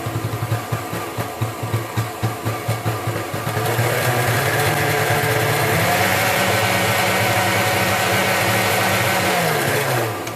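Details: Kenwood Chef mixer after repair of burnt-out fault, reassembled: motor pulses briefly then settles into even, steady hum with faint light rattle from loose, insecure speed knob; runs fine.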